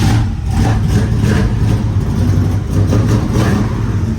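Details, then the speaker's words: 1972 Oldsmobile Cutlass Supreme with a new distributor and vacuum advance, fuel pump delivering no fuel, running only on gas poured into the carburetor bowls: fresh start, then a steady low idle with an even beat and no knock. The engine sounds good. "And good news is that the engine does sound good."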